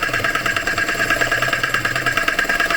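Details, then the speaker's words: Vauxhall Crossland X, customer reports a funny noise; idling petrol engine with a fast, harsh rattling clatter from the air conditioning pump; bearings or the clutch itself suspected failed, as if it had no oil. "aircon pump. I think the bearings and that air conditioning pump, or the clutch itself, has failed."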